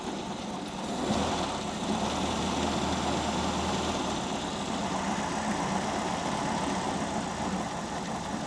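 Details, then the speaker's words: WWII Volkswagen Schwimmwagen engine after carburetor cleaning and new fuel filter, air filter off, idle speed and mixture not yet set: low, uneven chugging idle that hunts slightly, loping about four beats per second; engine struggling, rough idle. "so that's the RPM that the engine's turning over cuz you can hear it's sort of struggling a bit it's a chug chug chugger"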